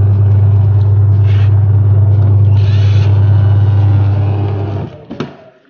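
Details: 14 kg twin-tub washing machine wash drive after gearbox replacement (previously rough and weak-turning): deep, steady low hum with no grinding or stalling, smooth until it winds down; running normally.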